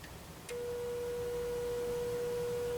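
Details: 1936-37 Montgomery Wards Airline 62-425 radio speaker tested with a signal generator on its leads: a faint, steady mid-pitched tone, clean with no buzz or rattle; the old speaker works.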